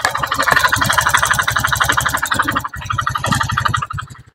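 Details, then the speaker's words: Honda Beat FI scooter idling roughly with coarse clattery pulse from middle of engine, CVT ruled out; possibly once ran low on oil; diagnosed worn piston/cylinder, low compression, piston replaced. "nek suara tetap kasar berarti fix Mas di bagian tengah di bagian tengah ta mesti piston Mas"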